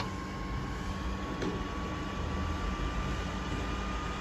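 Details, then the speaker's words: Late 2011 MacBook Pro, about 10 years old, crashed and won't boot: sleep light blinking, blank screen, fans ramp to full speed with a steady airy rush and rising thin tone; NVRAM/SMC resets and safe mode didn't help; owner plans to reseat RAM and hard disk. "ight is blinking and after some time you can see the fans running at full speed and it doesn't do anything else since the screen is just blank"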